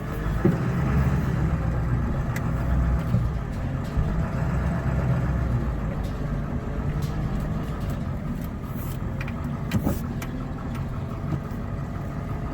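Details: 1999 Ford F-250 Super Duty 7.3 Powerstroke diesel, automatic, 4WD, revived after sitting over 3 years, after clearing air from fuel: even low rumble at idle, steady beat, no misses or knocks, no smoke; normal idle.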